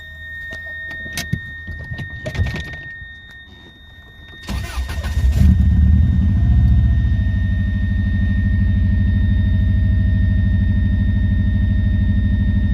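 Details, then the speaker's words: Subaru with an HKS mushroom filter, started after the throttle body gaskets were changed and a missing gasket was found: cranks, catches and holds a steady raised idle above 1,000 rpm; it runs a little smoother but the high idle remains. "Made it run a little bit smoother, but unfortunately didn't solve the issue of the idling where it's sitting over 1,000 revs."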